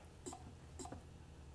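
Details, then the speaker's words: Diesel fuel injector number one, history unknown, on a hand pop tester at about 1650 psi release pressure: crisp, healthy chirps on each pump, with a very fine mist in a nice cone pattern and no side spray. The injector tests well. "hear that chirp that's very healthy to hear that little chirp sound and notice it's a very very fine mist but it has a nice cone pattern it's not spraying way out to the side"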